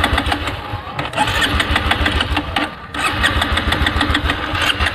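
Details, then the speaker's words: Motorbike petrol tank run empty before refilling with turpentine (tarpin oil) as a fuel experiment; starter churns in bursts but the engine never fires or catches; crank no-start because the fuel tank is empty. "है तो guys का petrol हो चुका है खत्म और को दिखाते रहते चालू नहीं हो रहा है"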